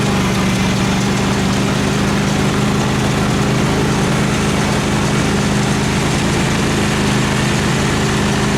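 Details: Craftsman FS 5500 lawn tractor after its carburetor was cleaned and the breather blown out, mowing under load: a steady, even low drone with no rise and fall; the engine runs well and has quit surging.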